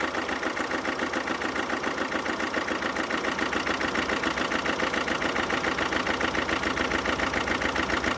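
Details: 2011 Alfa Romeo Giulietta II 1.6 diesel (940A3000, 105 PS, 312,000 km) idling unevenly, lumpy beat about 3.5 per second; one cylinder without compression, possibly valves, piston or leaking head gasket.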